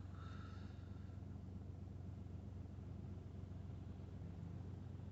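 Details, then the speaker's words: BMW 116d 1.5 diesel (1 Series), idling for a few minutes after roadside replacement of the auxiliary drive belt (6PK 1150): even low rumble, about four pulses a second, no squeal or slap from the belt drive; normal. "We're going to get back inside the car, start it up. And just let it idle for a few minutes."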